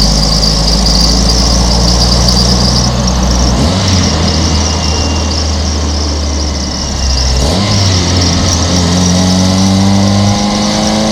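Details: 1995 Toyota Corolla wagon, 1.8L 4-cylinder, daily driven, idling: steady high whine and faint squeal changing with revs; alternator bearings going bad, alternator to be replaced.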